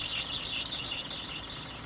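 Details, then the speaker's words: Car engine bay with the engine running: sharp, continuous high-pitched squeal with a chirpy waver, occurring in the morning or with the A/C on; suspected loose or aged alternator belt or loose tensioner, checked by splashing water on the belt; not confirmed. "那这种异响啊，多半都是发电机皮带松或者是老化导致的异响。"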